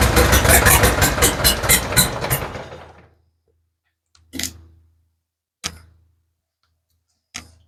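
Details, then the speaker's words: Ford 7000 diesel tractor, first start after injection pump timing fix (earlier cranked with smoke but wouldn't run): catches and chugs with quick, fairly even beats for about three seconds, then dies away, with lots of smoke; normal start. "I'd call that a win. Except for, that's a lot of smoke."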